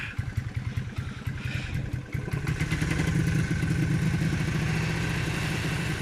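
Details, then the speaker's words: Honda CT90 Trail 90 small single, first start after many years in storage, timing marks checked: chugs and sputters at first, then catches and settles into a steady, even putter; normal running. "so let's roll this thing out and see if we can get it to run under its own steam oh it's a runner it's a runner holy"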